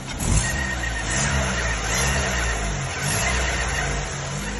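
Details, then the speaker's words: Chevrolet Celta petrol engine revving: faint high whine with rough, uneven rumble from the water pump; suspected pump bearing noise after timing belt replacement two weeks earlier, belt possibly overtightened. Unconfirmed. "barulho aí é a bomba d' água que tá fazendo esse barulho"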